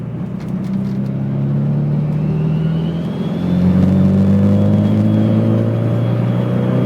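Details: SR20 engine pulling hard under boost: thin, high whine rising in pitch as boost builds, over the exhaust rumble; source not pinned down.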